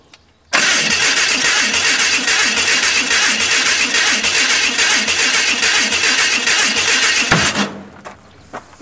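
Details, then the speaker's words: Hudson rat rod with the distributor twisted too far, ignition over-advanced: loud, labored cranking at three to four strokes a second that never catches, backfiring through the carburetor. "okay i had twisted distributor hell too far i'll try again there you think i'll back it off a little move my left foot yep yeah we're still back firing through the carburetor"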